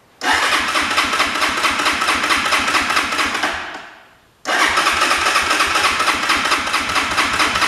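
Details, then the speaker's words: Italika motorcycle on its first run with 100% ethanol in a carburetor not re-tuned for it, engine cold: it catches with a quick, even putter for about three seconds, then fades and stalls before restarting. Owner thinks the cold engine causes the stalling. "Ahí está. Se apagó. Ahí está. Se oye diferente el motor. Creo que está fría, por eso se apaga."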